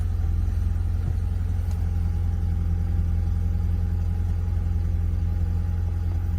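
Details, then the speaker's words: Audi TT 1.8, barn-stored 8 years: on the first start it holds a steady, deep drone at a raised speed; idle running much too high. "Guys, it's running. Now it's running at a super high RPM."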